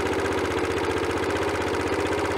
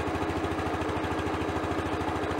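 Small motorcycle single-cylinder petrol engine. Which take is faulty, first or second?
first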